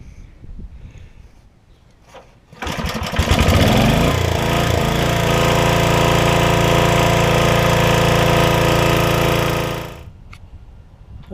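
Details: PowerChief 3500 W generator with 8 hp Briggs & Stratton engine, after an oil change to fresh oil: starts after a couple of pulls and settles into a steady, even drone with no knocks or surging; running healthy.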